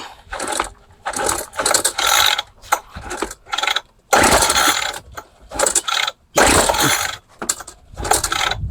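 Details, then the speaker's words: Craftsman hedge trimmer, 21cc two-stroke, old fuel lines: repeated recoil pulls with ratcheting, then a brief pop that dies at once; compression and spark confirmed, fuel starvation, fuel not reaching the carburettor. "So we know that it's got compression. We know that it's got spark. Now we just got to get the fuel running into that carburetor and into that engine."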